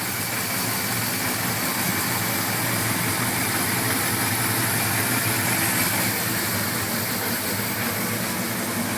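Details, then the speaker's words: 1981 Suzuki GS850G after replacing cam buckets and reshimming valves to 0.06 mm: steady, even four-cylinder idle, smooth hum, valve clack gone; normal idle. "it sounds way better though so happy the dick is gone"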